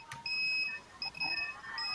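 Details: Model-aircraft battery cell checker alarm: sharp high-pitched beeps in short bursts in a quiet room. The checker has reached its cutoff voltage (around 3.7 V), so the battery must be disconnected to avoid over-discharge.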